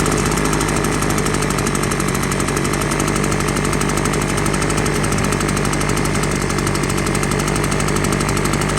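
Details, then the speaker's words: Engine breathing through a baby bottle of burning cigarettes in place of the air filter, one hole open: loud, ragged, uneven chugging with loose irregular knock over a steady drone; rough running from restricted intake as it tries to clear out. "so there's one hole missing right now. It's trying to clear out. And it's also breathing cigarette smoke."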